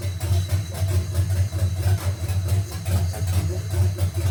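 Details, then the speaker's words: 1971 GMC C10 with a stock-believed fuel-injected 5.3L LS swap on its first start, old gas in the tank: deep, uneven loping idle pulsing about twice a second, hunting and running super rich. The owner suspects the tune and the old fuel. "It's running super rich. Sounds like it's super cammed. Far as I know, it's stock, so I I don't know."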